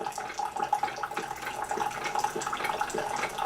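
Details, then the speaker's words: Keurig 2.0 coffee maker brewing a 12 oz cup, strong setting off: water gurgles over a faint, steady, buzzy pump clicking back and forth as it pushes water through; this is normal brewing operation. "And you can hear that pump clicking back and forth, pushing that water through."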